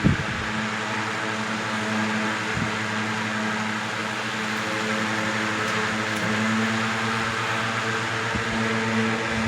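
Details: 1970s 16-inch Toastmaster box fan with replacement 1940s desk-fan blade set, medium to high speed: even steady hum and smooth whoosh, minimal vibration, no rattle or wobble; normal running.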